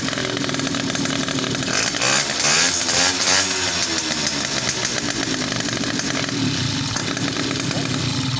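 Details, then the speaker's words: Two-stroke motorcycle after quick carburetor repair, exhaust muffled with a rag to listen for connecting-rod tick: high buzzy steady note, no tick or knock; normal running, healthy engine. "al poner la marcha tapamos con un trapo, tapamos la salida para escuchar si hay algún tiqui, que es de biela, Acá no hay válvulas, no hay nada, solamente golpeteo de biela puede ser."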